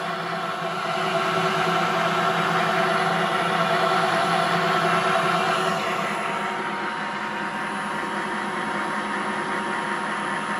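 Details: Classic BMW electric conversion: a Nissan Leaf motor coupled to the BMW gearbox, mounted upright and loose on the plate, spin-tested on 36 volts. An even hum swells with speed, then eases, with minimal wobble and no knocks; smooth, healthy drivetrain.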